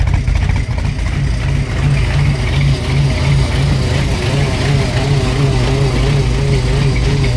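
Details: Supercharged hot rod with new fuel system and freshly installed Holley Super Sniper EFI, first runs before road test: deep rumble with unsteady, wavering note that never settles, rough idle while fuel setup still needs sorting.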